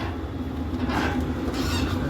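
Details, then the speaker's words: Travel trailer propane furnace running about 4–5 minutes with thermostat terminals jumped (new thermostat suspected faulty): steady low roar with even mid hum, no knocks or rattles; burner and blower running normally. "That's still nice and toasty. Furnace is cruising in a messed up state."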